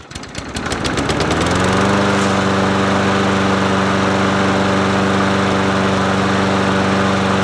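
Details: Murray 22-inch push mower 22526x92a, muffler cleaned with a wire wheel and primer bulb checked working, primed three times: a quick rattling pull, then it catches on the first pull and settles into a steady, even small-engine drone with no miss. Healthy.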